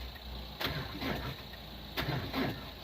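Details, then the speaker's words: 2002 Renault Clio diesel parked about 3 years: two labored cranking bursts about 1.5 seconds apart, nearly catching but not running; owner suspects weak connection on the positive. Cranking without starting. "I don't think I've got a strong enough connection on the live live on the positive"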